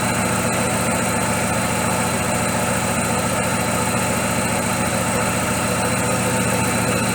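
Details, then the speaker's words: Daewoo Lacetti with electronic throttle, stalling and misfiring when hot; engine idles with an uneven, lumpy beat and occasional stumbles, a rough idle with misfire; mechanic suspects timing or cylinder compression, not confirmed. "двигатель работает с перебоями."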